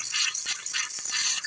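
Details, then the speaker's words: Home water line after a freeze-up and a new pressure-tank hookup (28 psi precharge, 30 psi on pressure): the faucet coughs and spits with hissy, rattling spurts and irregular pops as trapped air purges from the line. "sometimes you got to open all the faucets up and get the air out of line oh yeah it's the hot water cold water boy it froze up good last night"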